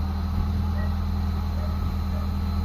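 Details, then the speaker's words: Mitsubishi Lancer GLXi 4G92 manual, previously dropping idle and stalling in traffic with aircon; cold start after cleaning idle control valve; steady low hum with no dips or surging, smooth stable idle. "So ayan na yung menor natin mga bossing oh. Oh, smooth na mga bossing. Cold start mga boss."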